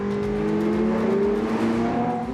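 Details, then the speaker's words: Classic Ferrari on a road test drive under hard throttle; a smooth engine note climbing steadily in pitch with an extra sound when you really get on it, no knocks or rattles, pulling cleanly. "When you really get on it, there's an extra sound that sort of emanates from the cars."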